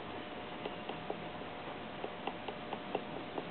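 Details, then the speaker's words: 1955 MG TF-1500 rear differential, turned by hand after new shims behind spider and axle gears during 4.875 to 4.3 ring and pinion change: faint irregular light ticks, backlash greatly reduced but slight remaining. "you can just barely hear it's kind of tick tick tick tick tick um so yeah what we've got just a little teeny bit we've reduced our backlash by a lot"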